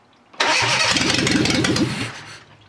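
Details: Fiat Panda 4x4 project engine, freshly wired up with a recharged battery, cranks at a steady rhythmic beat for under two seconds. It comes close to catching but doesn't fire.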